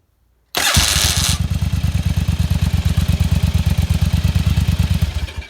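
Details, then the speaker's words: First-gen Virago with an experimental starter Bendix-holding lever disconnected: a harsh rattling "box of rocks" grind as the starter engages, the usual first-gen starter gear grind, then the twin settles into a steady lumpy idle. "and you hear that box of rocks when it grinds like the first gens always do"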